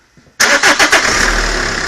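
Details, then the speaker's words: 2003 Renault Laguna 1.9 dCi diesel after the electric lift pump was struck back into working: brief crank of a few quick beats, catches straight away, settles to a steady even idle; rail pressure sensor reads a correct 1.3 V at idle. "okay the engine starts on the button now and as expected we are getting 1.3 Vols on the fuel well pressure sensor at idle which is absolutely right"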